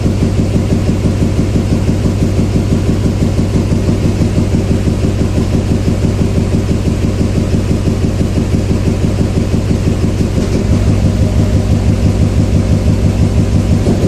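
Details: 2007 Chevy Silverado 2500HD 6.6 Duramax LMM diesel at idle during injector kill tests: a steady rumble as cylinders are cut in turn, with cylinder 7 barely changing the sound. Idle misfire on cylinder 7; cylinder 6 balance rate is slightly high; a valve train problem is suspected.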